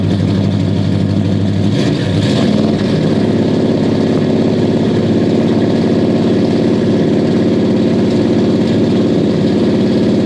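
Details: 1969 Buick Special Deluxe 430 big-block with big cam, parked fall 2021 to spring 2023, after opening the fully closed choke: deep uneven lope at idle, firing steadily without stumbling; healthy, runs much better, good oil pressure.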